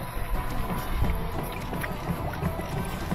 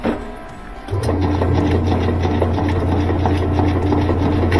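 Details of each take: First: Admiral washer after swapping in a used transmission to fix noisy, one-way agitation: low irregular water swishing and soft motor hum with no knocking or grinding; agitates quietly. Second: Admiral top-load washer, empty, agitating in wash mode: steady motor hum and even back-and-forth churn, no knocking or grinding; previously noisy agitation and one-way agitator movement, needs agitator dogs.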